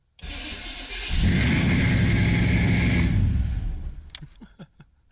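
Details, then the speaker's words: 1990 Camaro, Chevy 350 small block with Holley Sniper EFI and Flowmaster mufflers, first start after head gasket replacement, battery a little low: brief crank, then a fast steady idle well above the 900 rpm target; idle set too high, to be lowered to 700. "well it started I killed it really quick um seems to be idling very high oh boy Wow where do we have that at 900 that was definitely higher than 900"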